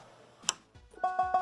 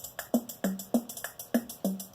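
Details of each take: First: Lowrey L2 organ after bypassing a faulty solder joint with alligator-clip jumper: repeat tab producing quick evenly spaced notes about six per second, clean and steady; repeat function working. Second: Lowrey L2 organ with a rhythm IC removed from its socket: each rhythm-section key press gives isolated dry drum hits about three per second, no full pattern; owner suspects a logic IC.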